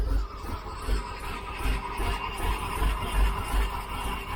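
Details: 1972 Chevy C10 shop truck V8 at first start, warming toward 170°F coolant while timing is set for the E-tuner setup wizard. Low loping idle with soft pulses, steady, no knocking or ticking; normal idle.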